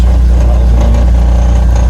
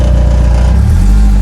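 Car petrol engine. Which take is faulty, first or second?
second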